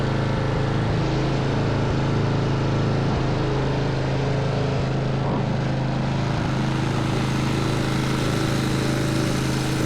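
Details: Craftsman snowblower with Tecumseh engine, electric starter and drive reported broken, after repairs and hand-pull start: single-cylinder engine running at steady even speed, smooth low drone, no misses or surging; running normally.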